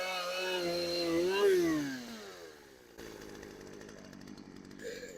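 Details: Craftsman chainsaw left outside for years, cold start: two-stroke buzz climbs in pitch then eases to lower steady idle; starts cold and keeps running normally.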